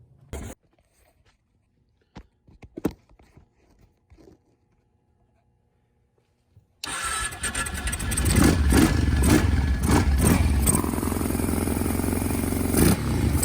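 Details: Kawasaki KFX 700 V-twin ATV after rear-cylinder valve adjustment with front spark plug refitted: a few quiet clicks, then it fires right up into a strong, even run with a rev blip, no valve tick; normal running.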